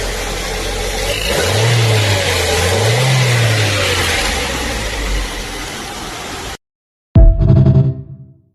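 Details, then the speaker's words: Petrol Ford Focus manual, brought in for misfiring, after starting: two clean throttle blips rising and falling smoothly with no stumble or popping; engine runs smooth, free-revving. "çalıştır arabanın saat gibi çalışıyor gaza basıp bırakalım"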